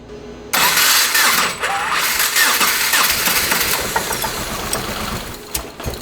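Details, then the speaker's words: First-generation Subaru Crosstrek with a hand-built 2.5L swap, just flashed with a new tune: fires, then runs shaky with stumbles, knock sensor going crazy and excess air in the exhaust; slightly better, unresolved, injectors suspected. "The knock sensor's kind of going crazy. It sounds like there's like a lot more air traveling through the exhaust than there should be."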